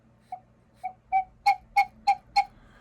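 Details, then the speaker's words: Vintage gravity-driven wall cuckoo clock, bellows freshly rewrapped with paper: seven short breathy whistles, each stronger, a clean clear pipe note with each push; bellows sound properly, though owner thinks they should fall fully under their own weight. "It does the noise. I think it's supposed to fall under its own weight, like all the way."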